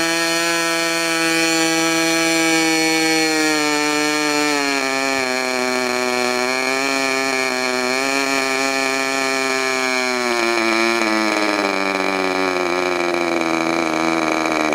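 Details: Modified Clarence Lee K&B .61 engine test run just after overhaul: high, smooth buzzing whine at a steady pitch with small throttle dips, no misses or sputters; normal running.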